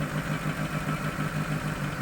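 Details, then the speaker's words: Chevrolet Aveo with check engine and ABS lights on, idle rising and falling at start: low idle throbs and surges about six times a second with shaky vibration; rough hunting idle from misadjusted throttle-body screw and dirty oxygen sensor. "என்ஜினுமே ஒரு வைப்ரேஷனோட அடைச்சடிச்சு ஓடுற அந்த நல்ல அந்த vibration சவுண்ட்லாம் நல்லாவே தெளிவாக கேட்குது."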